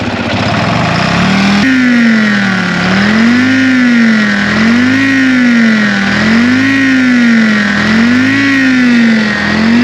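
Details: 1960 John Deere 440 backhoe, supercharged 2-53 Detroit two-stroke diesel revived after years locked: strong steady drone, pitch swinging gently every couple seconds, even firing, no knocks; good oil pressure, normal running.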